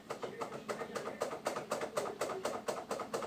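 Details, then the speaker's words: LG washer-dryer with the back panel removed: a quiet, rapid knocking of about three or four hits a second from the turning drum. The shock absorbers are identified as the cause. "E aí ó aqui embaixo a gente escuta também o barulho bem forte ó Então já identificamos aqui pessoal o aqui pessoal nesse camarada aqui ó amortecedor tanto esse quanto aquele a"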